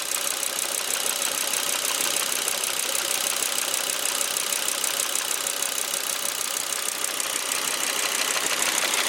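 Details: 2001 Volvo V70 T5 with a hissy, thin note and an uneven, irregularly stumbling beat near three per second. The misfire is attributed to the ignition coils rather than the common ETM failure; otherwise the car runs well.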